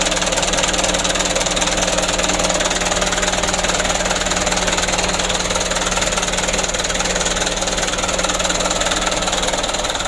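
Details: Mitsubishi Canter diesel after injection pump plunger replacement and pump adjustment: even, steady clatter at about four beats a second, idle about 600 rpm, no misses or surges. Normal diesel idle, repair completed.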